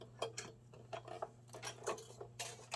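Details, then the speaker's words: Sega CD Model 1 just unpacked before repair: light uneven jingling ticks and rattles over a low hum, loose bits shaking inside; cause not yet known. "Ooh, there is. Ooh. Okay. There is definitely some stuff rattling in there. That's not a good sign."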